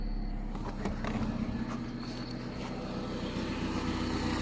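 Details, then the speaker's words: 2000 Honda Civic VP sedan 1.6L SOHC, 225,000 miles, wet-weather no-start from cracked, moist distributor cap; after replacing whole distributor, starts and settles to a quiet, steady, even idle with slight bay clatter. "see if she starts all right see how she did Wow okay somebody's happy"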